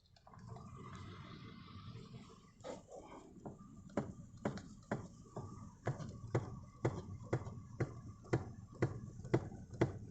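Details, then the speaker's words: Toyota Verso steering column: sharp, regular knocks about twice a second as the wheel is turned left and right, present for a month; cause was a loose nut on the steering shaft. "слышно стук этот стук уже месяц беспокоит меня я прям не знаю как его вылечить"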